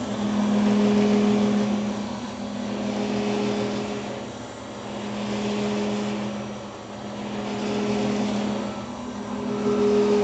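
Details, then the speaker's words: Grizzly G310 milling machine spindle at 2220 rpm hums with a drone that swells and fades in a slow, steady pulse; the pulsating gets louder at higher rpm. "now i'm hoping you guys can hear this pulsating effect that's going on when i turn this on um and like i said when you go faster in rpms it just sounds louder and everything else"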